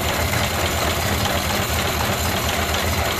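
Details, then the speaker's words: Ford Model A idling with the in-series gas switch shut off to drain the carburetor bowl: uneven, chugging low pulse as fuel runs out until it nearly dies; fuel starvation stumble. "now the fuel's been cut off you'll hear this car start to chug and it's going to empty out that Bowl"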